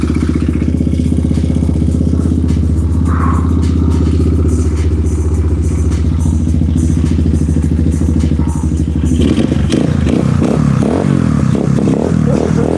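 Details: Single-cylinder pit bike just started cold, choke held by hand: low uneven putter that wavers and surges, struggling to hold idle; poor cold idle, owner moves to adjust idle screw; cause not confirmed.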